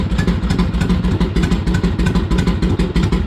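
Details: Harley-Davidson Ironhead V-twin, cold, just started after pushrod adjustment; lumpy but regular potato-potato idle, about three firing pulses a second, no top-end ticking: normal idle.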